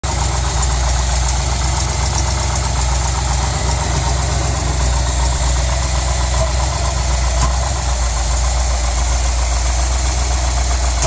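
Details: 350 V8 idling with an uneven, loping beat and irregular stumbles in the exhaust pulse; a cylinder misfiring.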